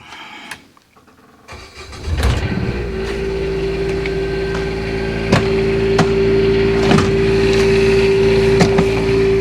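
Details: RV Quiet Diesel generator started after an oil change with Chevron Delo 15W-40 (about three quarts) to circulate oil and fill the filter: a brief crank, then it catches and settles into a steady, even hum; a clean, healthy start.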